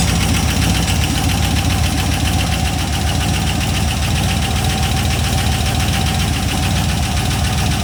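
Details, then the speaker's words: Sludgy cheap LS 4.8 LR4 on a run stand, about a minute after first start with WD40 smoke from lubed cylinders: loud, uneven idle with a faintly lumpy beat. It sounds like a possible miss but is hard to tell. "it kind of sounds like it's missing but it's just hard to tell"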